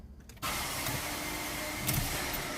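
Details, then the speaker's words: Ford Ka, key turned to start: steady electric whir with thin whine starts abruptly, engine never catches; faulty starter motor. "Aí, gente, quando der partida no carro e fizer esse barulho, ó, motor de arranque."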